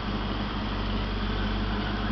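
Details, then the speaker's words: 1988 Ford Mustang GT convertible, 5.0 V8 with 4-speed automatic overdrive, about 101,666 miles, mostly original, alternator replaced; heard from the rear: steady, even low exhaust rumble with a smooth idle beat and no knocks or misses; the owner says it runs well. Normal idle. "so that's the 5.0 and i can testify it runs well"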